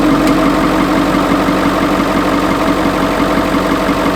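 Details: 1996 Ford F-350 OBS Powerstroke diesel just started after several months parked, new batteries: steady diesel clatter at idle, about three pulses a second, fairly even; engine running normally.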